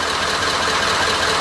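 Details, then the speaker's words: Ford 6.7L diesel restarted in warm Florida weather with a low-oil-pressure warning on start, a problem that occurs only around 68–95°F: idle with a sharp, busy top-end clatter, likely oil-starved, cause not confirmed: engine clatter at idle. "I'm going to stop the video and yes it still got low oil pressure I can hear it this is amazing"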